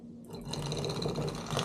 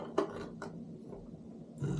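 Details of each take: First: Defective Simagic P-HPR Neo pedal haptic on the clutch port of a P2000 control box: abrupt, uneven, coarse buzzing rattle with something clunking around inside; owner unsure whether the motor came off its track; clearly not healthy. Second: Known-good Simagic P-HPR Neo pedal haptic (the control) run on all three ports while comparing two P2000 control boxes: short, strong, crisp low buzzing pulses every couple of seconds; consistent normal vibration, with no difference between the boxes.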